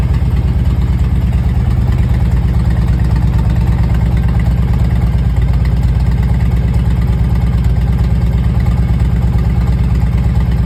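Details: 2001 Harley-Davidson Road King Classic, 97,808 miles, first cold start after four months sitting on battery tender; deep regular potato-potato V-twin thump at steady cold idle, no misfires or ticking; normal idle.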